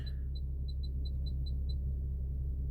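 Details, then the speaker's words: 2015 Infiniti Q50 AWD Premium after a micro SD card fix for the 'Now Loading All Apps' fault: thin high chirp near 4 kHz repeating about every quarter second, heard only when cycling through the 360 camera views. "So, when I go to the cameras, you hear that little chirping."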